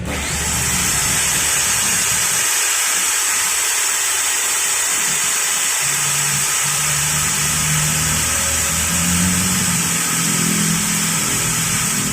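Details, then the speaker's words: Makita 9553B angle grinder that was weak and smelled burnt, after installing carbon brushes: a high, even whine holds for twelve seconds without bogging or rattling, spinning fast again. Normal running. "OK OK, the engine is normal and the rotation is also fast again"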